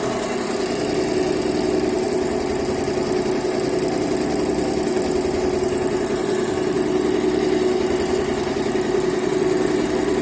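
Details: Yehi embroidery machine running after repair and reassembly; it had constantly shown error E24 and would not stitch when start was pressed, now fixed. Fast, even mechanical chatter over a constant hum; stitching smoothly, healthy.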